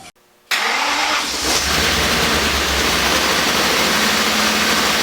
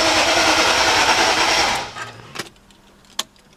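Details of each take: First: First start after engine reassembly, including wiring harness bolts: the engine cranks, catches and runs loud and steady for about seven seconds, then stalls when the fuel line pops off. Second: BMW E39 with rebuilt S62 V8, first start attempt, fuel pump relay removed: even, rapid dry cranking at about three to four beats a second with no firing, then stops; normal dry crank.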